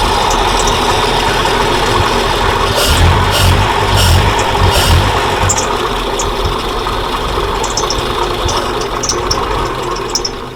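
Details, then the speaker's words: 1940s Dodge military-turned-fire truck revived after about 30 years, running with fuel fed to the float bowl, oil pressure about 20–30 psi: steady, even idle with no misses or knocks. "I still can't get over how that idles though."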